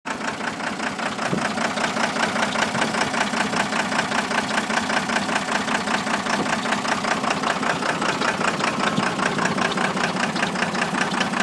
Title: 12 valve Cummins Misfire due to Blown Head Gasket